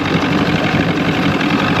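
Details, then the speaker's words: 1996 Force 120hp two-stroke outboard on a Bayliner Capri, just after new water pump installed (old pump likely damaged running on hose and ears), pumping well: steady, even idle rumble, no misses, knocks or surging; running healthy. "All right, we got our new pump on. It's paying good. So, yeah. I'm not sure what happened that other pump they had, but uh we got this fixed."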